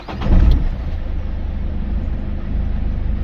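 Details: Peugeot 308 diesel start after ABS warning light came on: quick catch on first crank, then settled, even diesel rumble at idle with nothing irregular; starts and runs fine.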